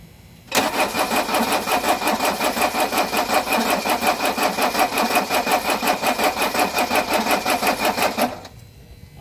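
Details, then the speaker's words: 1983 Mercedes-Benz 240D diesel revived after sitting five years, cold day, old battery helped by jump box: starter churns evenly about three compressions a second for eight seconds, never firing; glow plug module not working, glow plugs not heating. "So, once again, 240D in cold weather is very picky about glow plugs. The glow plug module is not working right now"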